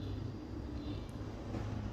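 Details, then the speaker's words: VW Gol/Voyage G5 with EA111 engine, manual gearbox: steady low drone with faint hum that stops when the clutch is pressed; suspected worn gearbox bearing. "Então tá uma dica para você que tem um Gol Voiagem, pisou na embreagem, parou o barulho, possivelmente seja"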